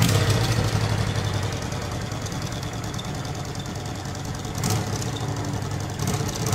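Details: 1986 Honda VT500 Shadow V-twin after a carburetor clean and new air filter, carbs left unsynchronized as the owner thinks it is unneeded: lumpy, uneven idle at roughly 220 pulses a minute with slight surges, but it keeps running.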